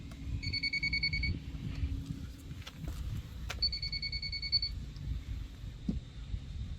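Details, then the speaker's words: Moisture meter held to the transom of a 1997 boat with a MerCruiser 3.0L, newly bought privately: two bursts of steady high beeping as it pegs at maximum, showing a soaked, rotten transom core. "if we take this and put it up against it it'll measure through for the core material all and again as you get it close and then it just Maxes it"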